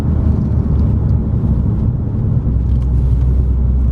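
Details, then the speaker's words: Recovered stolen Audi S4 on its first drive after repairs: steady low rumble, accelerates well, no knocks, clunks or rattles; brakes pull up square and all gears work, so engine and drivetrain sound normal. "Sounds good, accelerates good, engine feels, sounds good, brakes good, brake nice and square, can't hear any rattles or anything."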